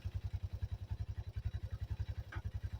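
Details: 1985 Yamaha Moto 4 ATV after old carburetor replaced with a new one; single-cylinder thumping at a steady beat around three and a half per second, no clatter or misses, quieter than ever: normal idle.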